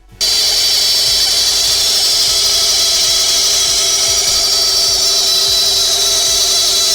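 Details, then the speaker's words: Supercharged Mercedes S55 AMG (M113K) water pump, car just out of months of storage: steady high-pitched squeal with rough gritty hiss while running; worn water pump bearing from miles and heavy use. "Over a lot of miles and heavy use of the vehicle, the bearing start to wear and they can start to squeak and make some pretty rough noises. Let's have a listen to what the S54's water pump sounds like and that'll explain why we're changing it."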